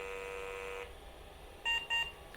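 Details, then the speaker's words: 1990 Gateway PC with no CMOS battery, after installing a donated ISA VGA card: two short high POST beeps at power-on with faint hum, hard drive apparently trying to spin up; likely BIOS settings prompt, not confirmed. "there you go two beeps it sounds like the hard drive is trying to spin up"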